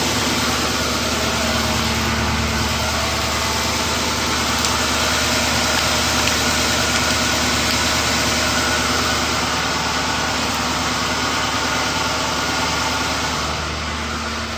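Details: M45 after an engine swap, first start with several dash warnings but no smoke: steady, even V8 idle with a smooth low rumble and no knocks, ticks or misses, so the engine sounds healthy.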